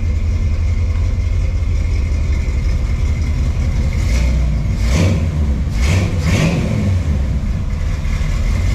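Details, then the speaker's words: 1979 Ford F100 after engine removal and reassembly: smooth, even idle with a few clean throttle blips and no knock or clatter. Normal running; the previous engine noise is gone, though the clutch still slips. "So we got it all back together. She's running as you've seen."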